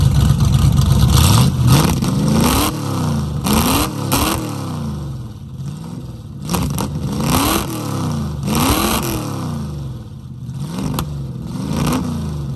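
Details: 1969 Mustang that sat for 15 years, engine running after the distributor vacuum advance was reconnected, with rusted-out holed mufflers making it loud: it revs and drops back with an uneven, lumpy beat, running rich; the owner suspects it needs plugs and plug wires.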